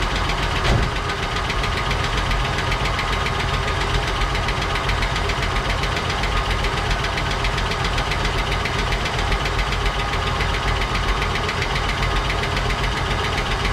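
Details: 1959 Cadillac V8 project car, unstarted for 11 years, first run on a temporary fuel supply after cleaning points and checking plugs: uneven light tapping, about three to four a second, over a rough idle; noisy lifters or sticking valves suspected.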